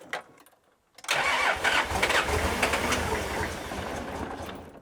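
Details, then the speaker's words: Nissan Patrol diesel (coil cab), first start after reassembly. The starter whirs briefly, then it catches and runs rough, uneven and smoky at idle; the owner suspects the injectors need cracking to bleed; hard starting. "Yeah, all right. So probably wants a bit of injector cracking. Yeah, she can be a bit smoky."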